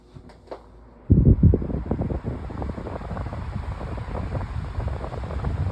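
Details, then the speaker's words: Pedestal fan on high speed with broken height: deep hum with constant loose, buzzy rattle as the motor housing shakes from an unbalanced fan. "You can hear the motor housing rattling and that's cuz this fan is really unbalanced."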